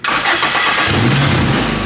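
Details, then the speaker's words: First start of a Honda K-series swapped Nissan S14 after the crank sensor fix, no radiator fans fitted and a dyno fan cooling it: starter catches quickly into a steady, even idle with no misses or knocks, no leaks; healthy start. "cool man this thing sounds awesome okay super close all right all right she's getting hot so um she's idling great it sounds amazing uh there's no leaks yet which is dope"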